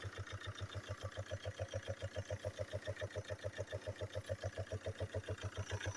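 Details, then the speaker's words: Chevrolet Captiva/Antara/Winstorm 2.0 diesel idling with a steady, heavy clacking knock; knock fades once warm; cause is worn camshaft journals and a rocker arm that fell out; fix is replacing the camshaft and rockers. "а вот и причина как я и подозревал распредвал сточенный шейки все потеряны 4 сточенный даже коромысло рокер выпало"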